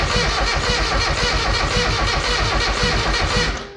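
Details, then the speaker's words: Mazda Miata after timing marks checked, cranking steadily about four beats a second with brake cleaner sprayed in, no catch; owner suspects bad fuel or injectors not pulsing despite fuel at the rail. "she's trying to start oh it didn't sound the greatest when it did try to run for that split second but it sounds like uh we might just have an uh uh you know shitty fuel issue"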